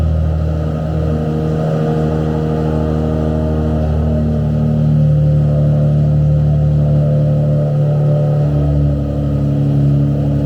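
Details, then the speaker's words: Nissan 350Z DE race car just started after Tomei Poncam install, before warm-up: steady, even idle with a slight rev rise midway, no ticking or misfire. Car runs great; normal idle. "But yeah, guys, car runs great."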